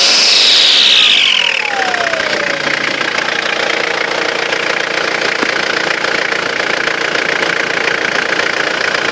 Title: Excessive turbo whine